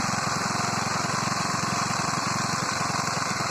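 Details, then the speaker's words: Small single-cylinder moped, carburetor filter fitted, idling: busy, tinny rattle over quick firing beat from the top end; owner suspects timing chain rattle, not confirmed. "как вы заметили гремит цепь грм"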